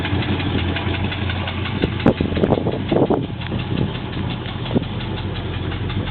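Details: Triumph Stag V8, cold engine at idle: irregular sharp knocks rise above the steady idle rumble and are audible everywhere around the block; source not pinned down, cause unconfirmed.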